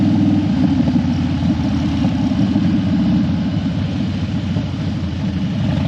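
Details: Harley Dyna that died when hot and wouldn't crank hot, warmed up on a test ride after a suspected battery fix: lumpy, loping potato-rhythm V-twin idle holding steady under light wind, no stumbling or dying. Normal idle.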